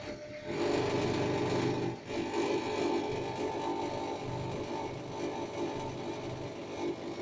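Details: LG FHOH3NDS1 front-load washer, bought March 2019, on spin near the end of the wash: rhythmic rubbing whir about three times a second from the right side panel, with a burnt-rubber smell. Comes and goes; new problem.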